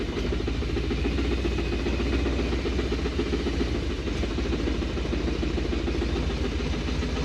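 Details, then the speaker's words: 1980 Dodge truck 360 V8, sat about 18 years, driving slowly in low range: heavy low rumble with steady knock following engine speed; rod knock. "oh my poor 360 with a rodnock she's knocking like a mofo she's knocking but nobody's home"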